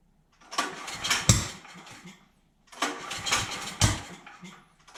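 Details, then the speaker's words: DeWalt generator engine after intake valve clearance reset (intake 0.004 in, exhaust 0.006 in), still won't start: two short cranking bursts that catch and die with sharp pops, blowing back through the intake; cause later found to be a severely warped intake valve. "Well, it's still doing it. Something's wrong."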